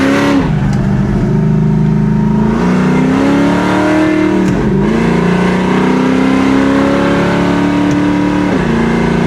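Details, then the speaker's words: 1966 Chevy Impala with Turbo 400 and 4.10 rear gears on its first real test drive: engine revving hard pulling away with a shuddering, uneven rumble underneath; rear axle chattering under acceleration. "Oh. All right, here we go. Oh, that back end's chattering."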